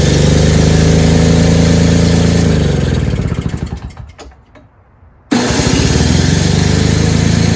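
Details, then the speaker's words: Toro/Craftsman single-stage two-stroke snowblower with electric start; after priming, choke and fresh mixed gas it buzzes steadily, stalls, then restarts into an even fast run; all it needed was gas. "oh nice huh again all it needed was some gas"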